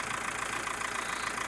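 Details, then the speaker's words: Mitsubishi Triton diesel after repair: even, steady idle with no stumble or shake. It had come in with no power, a rough-running engine, long cranking and the check-engine light on; now stable, with the light still to be reset by scanner. "dan kalau kita lihat di sisi mesinnya juga sudah normal ebrard sudah stabil tidak goyang lagi"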